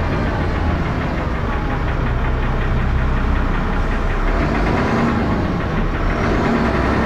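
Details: Diesel bus engine (First Manchester Dennis Arrow, fleet 31923, P423PVW), loud clatter with a hard uneven knock over rough thrash; loud engine knocking, cause unknown.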